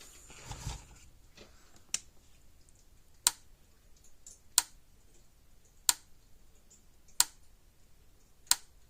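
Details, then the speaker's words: Old purple-cased Gallagher M1500 electric fence energizer, brought in clicking with weak to no output, switched on during repair before its bulb is changed: sharp single snaps about every 1.3 seconds in a quiet room; it sounds like arcing somewhere, unconfirmed. "So we'll go ahead and turn it on. Sounds like it's arcing something."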